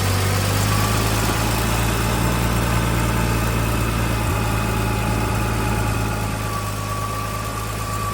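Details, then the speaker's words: 1979 Ford High Boy truck, just started after carburetor work, primed with gas, new fuel pump: loud low idle wavering unevenly, no clean steady beat; rough idle, carburetor needs mixture adjustment. "I so we're running but we got to definitely do some adjustment on that carburetor"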